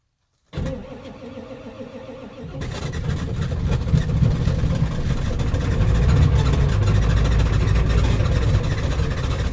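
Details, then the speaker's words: Hard cold start of an OBS Ford 7.3 Powerstroke diesel at about 8°F after a week or more sitting unplugged: slow, labored cranking, then heavy uneven clatter. Owner suspects a glow plug or two is bad. Fuel pump still running, oil pressure shown, oil very thick. "[Laughter] she ain't happy it's not real happy fuel pumps actually still running so there's still oil pressure there"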